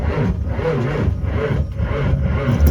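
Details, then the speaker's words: 1986 Ford F350 diesel, no glow plug light, both batteries reading 12.2 V, connections checked: heavy, labored, super slow crank with uneven turnover pulses and dull scraping; cause suspected, not confirmed. "So yeah, we got a super slow crank. And I gotta do the key thing here."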